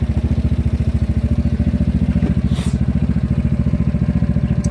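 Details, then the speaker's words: GY6 four-stroke scooter engine at steady idle that drifted up to about 1500 rpm on its own, even pulsing with no knocks or misses; normal idle. "not bad huh it sounds pretty good again it's keeping this idle oh now it's actually 1,500 rpm it kind of went up on his own"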